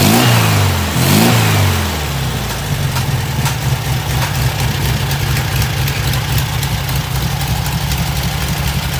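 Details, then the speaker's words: 1972 VW Super Beetle 1600 air-cooled flat-four, newly built engine, after mixture screw and idle speed adjustment: quick throttle blip, then a low, even, steady idle with no hunting; normal idle. "then you start lowering down your uh your idle and that's kind of where it's set now"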